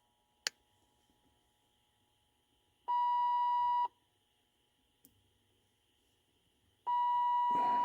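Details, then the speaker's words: 1980s Lincoln Town Car door/key warning chime (message center beeper), after replacement with the key switch contact misbehaving: a shrill one-second beep repeating about every four seconds; continuous warning beeping. "okay I admit that the Beeper gets a little Annoying"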